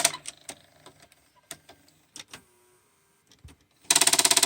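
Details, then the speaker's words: Toshiba Diomage SV-771 VCR (c.1991, stored unused for years) at power-up: scattered clicks and whirring bursts as the cassette door motor retries, then loud buzzing chatter. The door opened and closed a couple of times, now stuck; owner hopes cleaning and lubrication fix it. "it's just trying to open the door. It actually has opened and closed a couple times, but now it's stuck."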